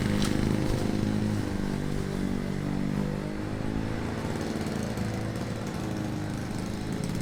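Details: Classic Victa PowerPlus two-stroke mower (carburetor kit fitted earlier), cold-started first pull after sitting 6 months: a steady, crisp buzz sags slightly as it bites into thicker grass, then holds on. It cuts cleanly with no issues. Healthy running under load.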